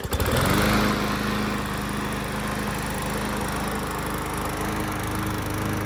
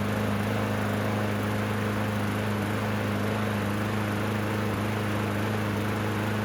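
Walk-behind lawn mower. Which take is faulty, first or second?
second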